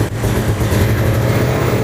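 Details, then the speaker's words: Long-abandoned 1997 Ford Mustang GT first start after the fuel pump primed: light throttle brings an uneven, lumpy note that dips and surges; the engine stumbles but keeps running; rough running engine. "Nah, begitu. Kedengarannya seperti ngadat, tapi mesinnya nyala."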